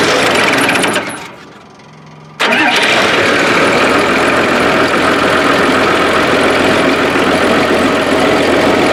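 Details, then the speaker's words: Link Belt 2800 diesel, previously hard to start cold, started after fuel-system work (plugged pickup screen blown out, water drained, debris-filled tank, system primed): starter cuts out, catches at once and settles into a loud, steady, even clatter with no stumbling; normal start and idle. "well good at once Yanis that's better than anytime"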